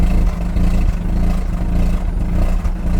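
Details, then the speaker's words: Mazda RX8 rotary, warm, misfire returned weeks after a vacuum check valve line fix: uneven lumpy exhaust note with irregular dips and stumbles; owner blames bad MAF sensor not metering air, air filter recently cleaned. "Now, I'm pretty sure it's not my air filter. you can still hear it in the exhaust."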